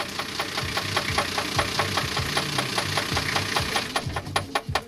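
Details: Sharp, even ticks about two and a half per second over a low hum, continuing with the engine shut off; knocking with the engine off, source unclear.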